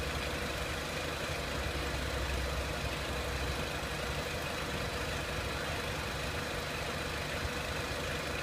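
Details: 2003 Renault Clio 1.6 petrol, intermittent stalling traced to loose crank sensor connector (sensor good), crank sensor scope reading good; even steady idle roar, no stumbles, misses or surges over several seconds; normal idle.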